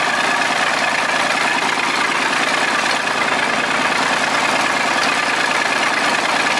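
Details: Volvo 320 tractor, Perkins diesel, first start after repair (valves adjusted, injectors, filters, oil changed, rocker cover off): steady even idle clatter about two beats a second, no misses or stumbles; smooth and healthy.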